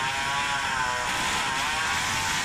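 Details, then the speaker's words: Tuned Samurai 40cc two-stroke with exhaust installed, advance turned about 20° further, worn crank bearings with a lot of play; screams happily but pitch holds near 10000 rpm like a limiter, same as 5 years ago. Cause unconfirmed. "it still is limited at about 10000rpm but before that sounds quite happy allright, so it still doesn't seem to take full revs it sounds like it has a limiter at same rpm as before"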